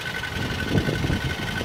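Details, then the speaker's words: 2014 Jeep Wrangler Rubicon Unlimited manual, 90,000 km (55,000 miles), recorded low near transmission: steady high whirring over idle with clutch out, gone with clutch in; worn clutch release bearing, to be replaced with new clutch. "So that's the clutch throwout bearing that's gonna be replaced this week."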